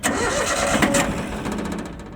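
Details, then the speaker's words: Yanmar YM1610 diesel tractor: a short burst of starter cranking dies away without catching because the hand throttle was left in the stop position, cutting fuel; the engine starts and runs evenly once the throttle is moved. "Конечно, он стоял у нас на режиме стоп. Я-то думаю, что ж ему надо."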